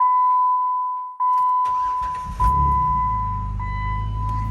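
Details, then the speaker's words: Jeep Wrangler JK just after oil change with 5W-20 synthetic plus Lucas additive, previously low on old oil: dash chime, then engine catches and settles into even, much quieter idle, no knocking or ticking; normal. "I can tell you that's a lot quieter than it was beforehand with not enough oil in it who knows how old the boil that is crazy"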